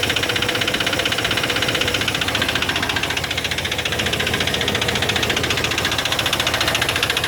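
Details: Chevy 350 5.7 L V8 at idle, fast sharp valvetrain ticking about two or three per second, appearing after the intake manifold gasket was replaced; attributed to low lubrication.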